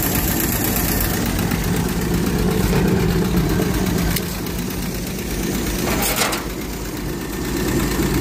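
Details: 1946 Power Wagon carbureted engine just restarted after carburetor repair (accelerator plunger spring not touching, not drawing fuel): steady, rough-edged idle with even beat, no misses or knocks; normal idle.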